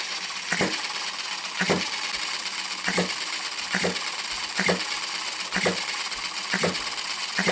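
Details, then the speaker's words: Retrol HM-01 7cc four-stroke horizontal hit-and-miss model engine chugs with crisp metallic pops about once a second, slightly uneven as the governor skips firing strokes, a little vibration expected for hit-and-miss; healthy normal running. "well there it is chugging away little bit of a vibration but you expect that with a hit and miss engine"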